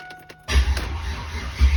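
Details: Built Trans Am V8 after fixing a no-start caused by an exposed red wire: a brief click, then it catches promptly and settles into a strong, steady rumble. Starts and runs normally.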